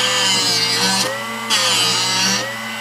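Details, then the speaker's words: Drill Doctor sharpening a half-inch cobalt drill bit: steady high grinding hiss, briefly dipping as the bit turns; bit is ground past the intended range, rounding the split point; fix is adjusting the cut depth setting. "it should only sharpen through this range here once it gets over here it shouldn't be touching it anymore and that's what's creating that rounding it's actually shoving it in there and turning it around"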